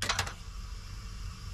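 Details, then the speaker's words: Remote battery disconnect relay on a vehicle, key on: two crisp clicks as the remote switches it off (dead) and back on, relay engaging and restoring power normally. "now I have the switch on that I'm going to operate and see if it kills it there off it's dead and here's on"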